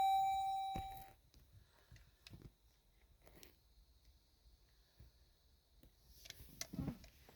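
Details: Vehicle with a key that is programmed but won't start it: one steady chime for about a second, then near silence with no cranking; warning chime on a no-start, cause unknown.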